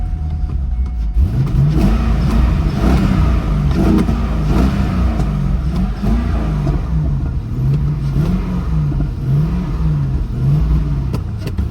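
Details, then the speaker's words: Auction-yard V8 at about 90°F, no smoke: held on repeated throttle blips, revs rising and falling about every second with no settled idle; it runs briefly after start and needs revs. Cause unknown. "yeah it's like when you first start it it'll run for a second it takes some revs it's not smoking or anything though"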